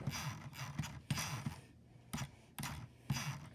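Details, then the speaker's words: Wired Logitech G502 Hero mouse, scroll wheel in normal ratcheted mode (not infinity free-spin): short bursts of crisp, evenly spaced notch clicks as the wheel rolls and stops; normal ratcheted scroll wheel. "so basically the mouse is like a normal screw scroll wheel like any mouse will have and start it goes and then it stops"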